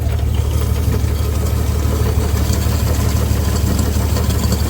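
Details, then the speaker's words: 1962 Dodge M37 truck revived after sitting about 45 years, rough low idle, about ninety-odd pulses a minute, faint stumble; a little miss blamed on regular spark plugs and cut plug wire ends instead of the correct tube-top type. "It doesn't sound too bad. Got a little bit of a miss, but it doesn't have the right spark plug wires on it. Or the right spark plugs, I should say. Somebody cut the ends up off and put some regular spark plugs in them."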